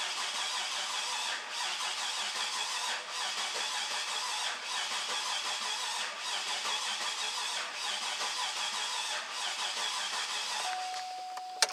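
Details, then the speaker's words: 2008 Cadillac Escalade 6.2 L V8 with high crankcase pressure that ran rough after an engine rebuild, cranked with injector fuses removed for a relative compression test; uneven cranking with a regular drag, a mechanical fault from one cylinder with high compression. "and i'm kind of glad i did that because i don't know if you could pick that up audibly but there is a mechanical situation going on"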